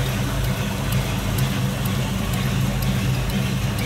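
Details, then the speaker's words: 1973 Chevrolet Nova Custom hatchback, numbers-matching 350 V8 with Holley carb, heard idling from the front with the hood up: steady, even low burble with no knocks, misses or surging; smooth-running, normal idle. "see it's got a Holley carb on there and smoother running 350"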